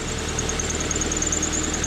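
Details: Honda Civic idling on first start after a repair for knocking, with main bearings, oil pickup and new oil pan gasket fitted: a steady, even idle with a faint whine and a slight tick, possibly an exhaust leak. The power steering pump doesn't squeal and there is no shake.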